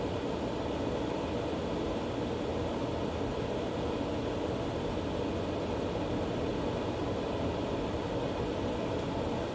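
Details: A Green Mountain Grill Jim Bowie Choice pellet grill's auger works again after being cleaned out and reassembled. The motor now makes a very loud, steady mechanical drone with a rough whir.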